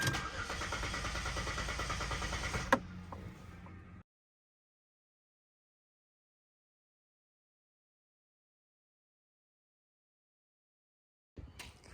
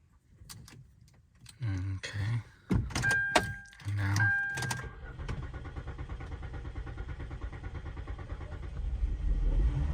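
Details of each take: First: 2006–2010 Hyundai Sonata NF cranking: starter churns at an even beat for almost three seconds with no firing, then quits; no start from a failed fuel pump. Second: 2006–2010 Hyundai Sonata NF after fuel pump replacement using a lock ring tool: a few cranking turns, then the engine catches and settles into a steady, even run that firms slightly; starts and runs cleanly, the pump was the fault.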